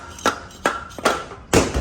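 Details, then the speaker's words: 2011 Honda Odyssey 3.5 engine: sharp hollow metallic clunks as the removed catalytic converter is shaken, its honeycomb detached inside the shell; noise resembled a spun rod bearing but the catalytic converter needs replacing. "es el ruido que tenía de alguna manera se escuchaba así se escuchaba así entonces hay que reemplazarlo hay que reemplazar el catalizador"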